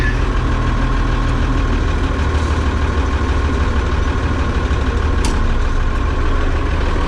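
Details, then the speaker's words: Oliver 7300 combine variable speed unit after a thrust bearing replacement (the old bearing felt dry): deep, steady drone at even speed, no knock or squeal; now quieter, no longer heard from the cab. "Quieter because I can't hear it from the cab like I used to be able to."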